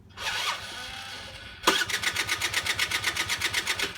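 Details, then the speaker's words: Peugeot Ludix Blaster water-cooled moped, non-runner: starter spins the engine in even pulses about four a second but never fires; no spark because the ignition coil wire is disconnected. "it won't start what could it be i' got say how the hell do I know listen guys you need to do basic checks okay have you got spark have you got fuel they the two basic runs aren't they if you not got spark it's going to be electric"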